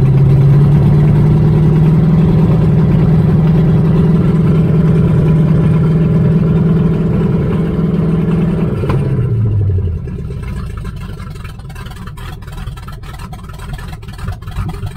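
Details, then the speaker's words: 1978 Chevy Nova V8, abandoned 25 years, open pipes, carburetor borrowed from another car, broken pushrods replaced: uneven lumpy idle sags and stalls around nine seconds; owner suspects idle set too low or distributor needing adjustment. "Sounds like the idle's too low right there. Or the distributor just needs to be adjusted a hair more to make it idle good."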